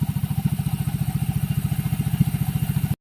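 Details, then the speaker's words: Yamaha Mio Soul i 125 CVT after repair: even, steady putter of about three and a half beats a second, no rattle. It was noisy before from a loose pulley bushing; a thin washer was added and the belt stabilized. "Tumahik na ang kanyang panggilid. Maingay kanina dahil alugang pulley eh."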